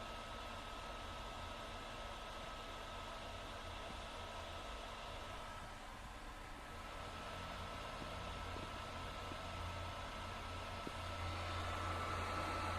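Steady loud airy whoosh with a faint constant whine, no rhythm; the console's cooling fan is running hard under load.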